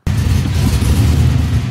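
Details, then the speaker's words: 1973 Chevrolet Nova with an LS swap, badly down on power: the V8 stumbles and stutters on a quick throttle blip instead of pulling cleanly. The misfire comes from soot-fouled spark plugs, and replacing them made it run smooth. "the engine doesn't seem to be running correctly or well in my opinion it is way down on power"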